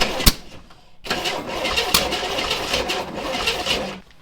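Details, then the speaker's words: 1962 Chevrolet Corvair off the road 30+ years, new oil filter, plug wires moved one position counterclockwise for more timing advance, gas poured down the carb: starter churns steadily about three seconds with no firing; cranks but won't start. "So, anyways, let's get that new oil filter on there, check the oil level, throw a little gas back down the throat of it and crank it."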